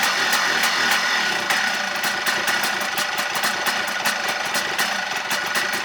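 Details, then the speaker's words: 2004 Yamaha Blaster two-stroke after engine rebuild and first start, idling on its own after a screw was turned clockwise twice: ragged idle with uneven crackling pops, won't rev; maybe needs warming up, cause unknown. "i got it to idle on its own by messing around with this screw here i'm not sure if that's what did it but i kind of just tightened it clockwise clockwise twice and it's idling on it by itself but it doesn't still doesn't want to rev"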